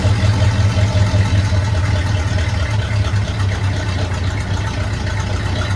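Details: 1972 Chevy C10 small-block V8, warm engine, not a cold start, after valve covers were pulled: deep, steady, even idle rumble with no ticks or misses. Runs well; timing still needs fine-tuning with a timing light.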